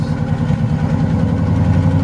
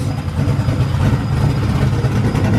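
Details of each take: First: Ford Crown Victoria built V8, first start after heads with cams returned from the machine shop and refitted: low, lumpy idle with an uneven beat and stumbles, like a cylinder or two dropping out; a miss, cause unconfirmed. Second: Ford Crown Victoria freshly built cammed V8, just started: lumpy idle rising and falling with a choppy cam beat, no knocking; 90 psi oil pressure, no leaks, runs fine.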